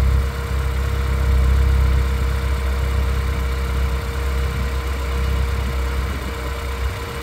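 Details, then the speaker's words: 2009 RenaultSport Twingo RS 133 after new coils, spark plugs and fuel pump: petrol engine on warm-up idles with a steady, fairly even low rumble, no obvious stumble; idling better than before. "that's definitely idling better than it was all right let's take it out for a test drive"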